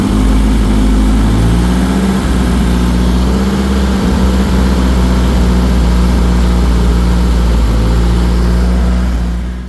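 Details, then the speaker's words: Nissan 240SX running on its own after troubleshooting, not revved because the turbo is not working properly; it has oil leaks. Steady, even idle with no misfires, knocks or stumbles; a normal idle. "She runs on her own, fires up on command. I'm happy."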